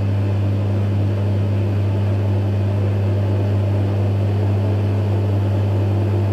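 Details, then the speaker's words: Electrolux EWF 16589 W washer on 60 cotton cycle, with noisy bearings: loud steady low drain pump hum, no pauses or pitch change, running continuously and sounding unhealthy. "pump sounds very unhealthy. Now it keeps putting out more water."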